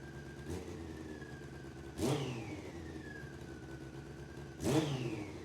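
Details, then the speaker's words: Honda CBR600F4i motorcycle with 64,000 miles, first fire-up after a disconnected bank angle (tip-over) sensor stopped the fuel pump priming. Two quick throttle blips rise cleanly and settle to a smooth idle with no rattles or misses, running on all four cylinders. Normal revving. "Doesn't sound too bad for having 64,000 miles on it."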